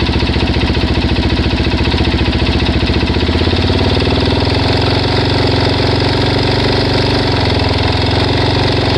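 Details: Suzuki DRZ400S single at idle after a 10-mile test ride, cam chain and both guides replaced, oil changed; quick tapping about four ticks a second on each firing pulse; ticking of unknown source.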